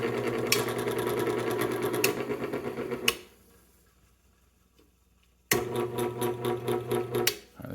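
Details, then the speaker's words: Robbins & Myers fan motor run on high after reassembly: uneven buzzing rattle, stops, then restarts with the same noise; owner suspects poorly tightened housing bolts; cause not confirmed. "but look the fan blade moves so let's turn it on high I think that sound is poor tightening"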